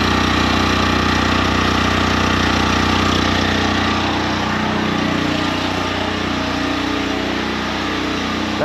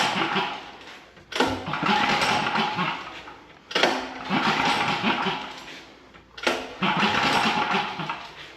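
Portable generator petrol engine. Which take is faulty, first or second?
second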